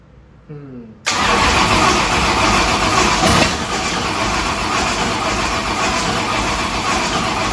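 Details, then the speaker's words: 1965 Ford Thunderbird, Ford FE 390 V8, cranking on a weakening battery: steady, slightly uneven churn about 2.5 turns per second, never catches. Owner suspects insufficient fuel delivery, not confirmed. "I'm thinking maybe it's more of a fuel like just not quite getting enough fuel to it right now it's kind of what it seems like"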